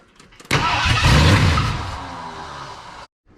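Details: 1979 Ford F250 4x4 Sno-Fighter, sat since 1986, with a powertrain sitting since 2016, no fuel tank hooked up: V8 catches and revs briefly, then sags and dies within about two and a half seconds; no start from no fuel supply.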